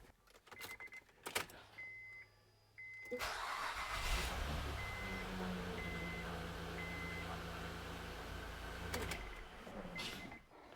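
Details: 2007 Honda Pilot starting after a valve cover gasket replacement and valve lash adjustment: brief crank, then the engine catches and settles into a smooth, even idle with no ticking. Healthy start and idle.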